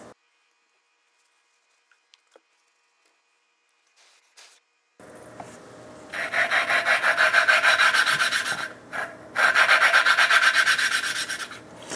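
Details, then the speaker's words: 1974 Honda CB350F engine valve lapping by hand: rhythmic back-and-forth gritty rasping about four strokes a second that dulls and changes, meaning the compound is worn and the valve must be lifted, repositioned and fresh compound added. "And you can hear that sound changing there, and that means I need to pick it up and reposition it. You get some fresh compound down in there."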